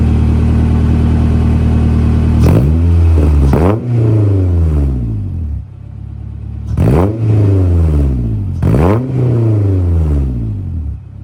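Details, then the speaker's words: 1974 Fiat 124 Spider with swapped K-series engine, first start: steady idle with two pairs of clean, free-revving throttle blips; sounds fairly good, though possible exhaust leaks, noisy injectors and noisy valves heard, likely needing a valve adjustment. "So at this point, everything's looking pretty good. It sounds fairly good. I do hear some maybe exhaust leaks, noisy injectors, noisy valves."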